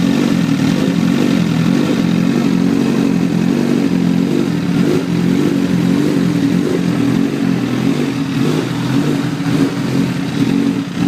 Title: 2009 Repsol Ticking noise vid 4